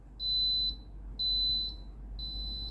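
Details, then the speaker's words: Philips GC6720 steam iron: three high, clean half-second beeps about once a second while an orange light flashes, the repeating descaling reminder; the soleplate heats, so it can be cleaned. "ลูกค้าแจ้งนะครับผมอาการเสียนะครับผมไฟสีส้มกระพริบตลอดนะครับผมได้มีเสียงดังตลอดเวลานะครับผม"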